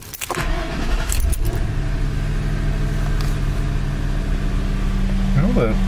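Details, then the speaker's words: Ford/Lincoln/Mercury 4.6L or 5.4L V8 after replacing cylinder 6 coil-on-plug for codes P0306/P0316 rough running and flashing check engine light; codes erased, engine starts at once and idles smooth and steady, light off, no misfire. "the check engine light is off seems to run right nice and smooth I think uh we're okay here I think we're okay"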